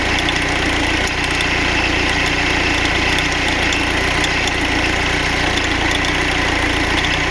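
Diesel idles with a busy, uneven metallic rattle riding over the clatter, no clear single beat; some rattle, source not pinned down.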